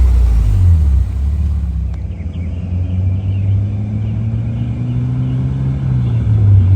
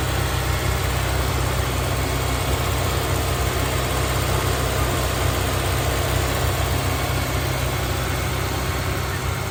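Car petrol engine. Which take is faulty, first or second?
first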